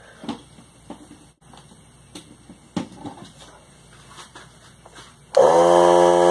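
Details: Central Pneumatic 95275 3-gallon oilless compressor (100 psi max) after the repair, with the on/off switch now wired in: a few clicks, then the motor kicks on with a strong, steady hum and holds it. Runs normally.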